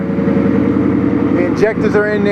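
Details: Ford Maverick project car, warmed up after fixing a stuck-open fault: steady, even engine hum at a settled idle, no misfire or stumble, no more smoke though still smells rich; running cleanly now.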